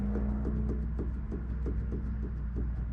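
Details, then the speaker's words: Mitsubishi Evo 8, steering rack pushed in and out by hand: regular hollow knocks about twice a second, tie rod floppy like a wet noodle; worn inner tie rod, to be replaced. "this supposed to like kind of have force it's supposed to stay up like this this this but this thing is just like a wet noodle you know what i mean so the inner tie rod i'm gonna have to replace the inner tie rod to do this"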